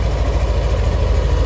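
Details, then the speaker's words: Yamaha NMAX Neo (3rd-gen) scooter at 6,300 km, idling while warming up before an oil change due at 1,800 km on the oil trip: a steady, even low putter with no knocks or rattles, so the engine sounds smooth and normal. "Terus untuk suara mesin kasar atau enggak tadi kan waktu sebelum diganti kalian juga udah denger ya bagaimana."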